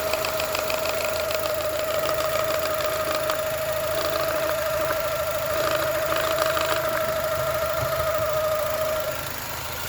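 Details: 2002 Mini Cooper R50 idling with clutch pedal held down: steady whine and uneven knocking rattle; gears very hard to engage, first especially; clutch-side noise, cause unclear.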